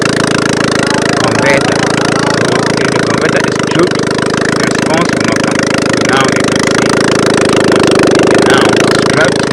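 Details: Car that would not pull, started and revved with the catalytic converter and manifold removed from the head: a strong, steady roar that holds together without stumbling or choking; it revs freely and pulls hard.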